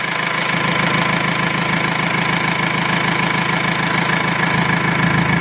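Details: R2.8 Cummins diesel swapped into a 1997 Jeep Wrangler, first start-up with gauges not connected; even steady diesel clatter at about three beats a second, no misses or stray knocks, healthy diesel settling into idle.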